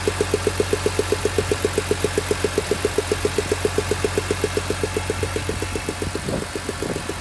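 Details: BMW E46 M3, S54B32 engine, warm idle after a cold start: sharp, even ticking about four times a second, regular as clockwork. Source not pinned down; cause suspected but not confirmed.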